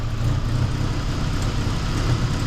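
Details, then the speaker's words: Geo Tracker with reinstalled engine, first start after revival, timing about 8° BTDC at idle: steady, even low idle rumble with no misses, knocks or ticks; engine sounds healthy and settled. "oo she's idling too maybe the timing's good"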